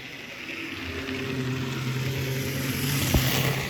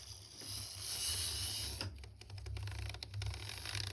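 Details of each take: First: Triang Hornby Hymek class 35 diesel model locomotive, rebuilt after a previous repair left it badly reassembled: low, even hum with a light steady whir, no rattle or grinding; motor now running smoothly and quietly. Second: Tri-ang Hornby Hymek class 35 model locomotive motor bogie running forward without armature bearings, left out by a previous repairer: harsh buzzing rattle from excessive armature end play against the worm gear; fixed by fitting bearings.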